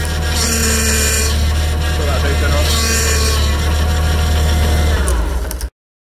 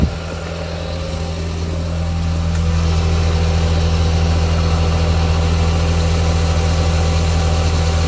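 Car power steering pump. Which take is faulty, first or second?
first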